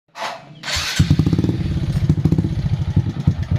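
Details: Honda Supra X 125 that sputters and lacks power, at idle: uneven skipping beats with a light valve tick. Tagged as shifted timing (top geser); the valve noise is set aside for now.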